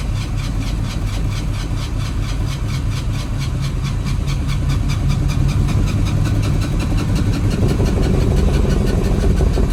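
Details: Chevy S10 long crank with throttle feathered, fuel pressure low (spec 41-47 psi): ten seconds of starter churning with uneven chuffs that won't stay running; owner suspects weak fuel pump and injectors.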